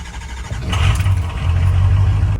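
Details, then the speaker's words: 2007 Ford F-250 6.0 Power Stroke diesel on a cold start: it cranks, catches quickly, revs, then holds a steady, even idle. It starts fine cold but won't start when hot, and code P0528 was thrown. "nothing's overheated it's running fine everything sounds good it's just after it after everything warms up it doesn't want to start"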